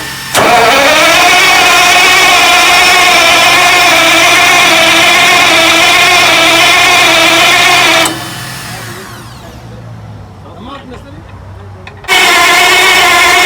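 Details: Heavy generator engine: long steady starter whir for eight seconds with no catch or rising beat, then stops and cranks again; engine cranks but won't start.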